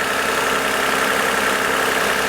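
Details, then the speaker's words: 2014 Toyota Avalon 2GR-FE V6, 11,000 miles, condemned as blown after an overheating event; after coolant refill, hose clamp fix and new spark plugs: smooth even idle, steady hum, no misses, knocks or ticks; healthy engine. "Again, that is the sound of a perfectly healthy 11,000 mile bulletproof 2G RFE."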